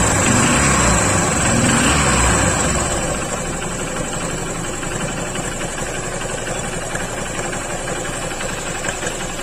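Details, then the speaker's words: Honda CB Shine single-cylinder, engine recently rebuilt, at idle: fast, even ticking about four a second over steady idle; timing chain tensioner worn out, its tightening range used up, needs replacing. "क्योंकि यह tension आ रहा है timing चला stop इसको change करना पड़ेगा क्योंकि जो टाइट हो कर रखा है वह पूरा हो चुका है"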